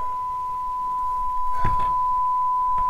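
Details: Dumpster-found Shure M267 mixer, line-level balanced output into a small stereo amplifier: a steady pure high test tone holds level with only brief handling bumps, after a grounding hum was cleared, so the mixer passes signal properly.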